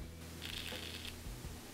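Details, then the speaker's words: Samsung Galaxy S6 Edge Plus opening camera from home screen: brief raspy high-pitched grinding about half a second at camera startup, phone otherwise working fine; camera module fault. "let me show you the weird noise that the the kind of grinding sound that it's actually uh producing when I turn on the camera"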